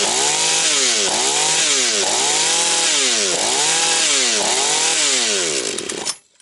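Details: Husqvarna 240 chainsaw, reassembled, first start of rebuild, still tight: revs up and drops back about once a second, pitch rising cleanly, no stumbling, then shuts off; owner plans further carb adjustment. Normal running.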